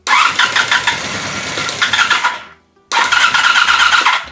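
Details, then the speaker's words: 1984 Honda VF750F, first start attempt after starter motor swap, cranking to pull fuel into the carbs through air-locked lines, fuel pump unheard: two bursts of fast, even cranking, about 2.5 s then 1.5 s, never catching. "Can't hear the fuel pump doing anything. Where is the fuel pump on this thing? Well, as I crank it, it's pulling fuel through the system."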